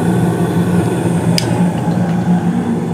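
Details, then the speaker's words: 2016 Carrier gas furnace running with the main blower on, started about 23 seconds after burner ignition: steady, even low hum with no rattles or scraping; furnace and blower running normally. "you probably can't hear it all too well but the the main blower did come on I think I said about 23 seconds afterburner ignition"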